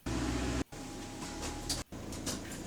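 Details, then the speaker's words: Bus electric power steering pump, which switches back on as the bus starts moving and does not follow engine pitch. A faint, subtle, steady high-pitched whine comes in over the fan-like hum; steering pump running normally. "as the bus starts moving the power steering pump will turn back on the electric one listen listen this is I can't I can't even mimic it with my vocal CL like it's a very high pitch noise but it's subtle"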